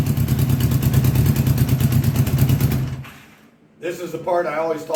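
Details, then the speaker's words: 1982 Honda GL1100 Goldwing Aspencade, sat 3 years, supposedly rebuilt engine, new plugs, fresh fuel: lumpy uneven idle stumbling about three beats a second before dying; a couple of carbs hit-or-miss. "I gave it throttle and it stayed running, but it's still there's a couple carbs that are hit or miss right now."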